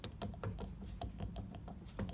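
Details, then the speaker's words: 1940 Chevy Coupe steering box: uneven gritty clicking and ratcheting as the slack input shaft is turned by hand, still very rough after being pumped full of grease and adjusting idler arm play; owner thinks the gearbox is worn out. "it but there is a lot of slack in that input shaft and I don't know if you can hear it but it just does not sound right I pumped it full of grease and it still is sounding very rough"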